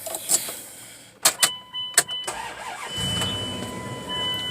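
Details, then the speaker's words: Car starting with nothing connected to the DLC, after the battery was disconnected about five minutes and reconnected: a few clicks and clunks, then the engine catches promptly and settles into a smooth, steady idle. "can see it runs nothing connected to the DLC"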